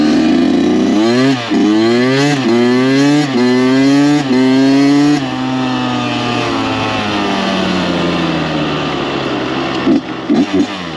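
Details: Freshly rebuilt Kawasaki KX 85 two-stroke dirt bike ridden after break-in heat cycles, brought up on the pipe at full throttle: pitch climbs cleanly through several gears, crisp shifts, no misfire, rattle or odd vibration; motor pulls really strong.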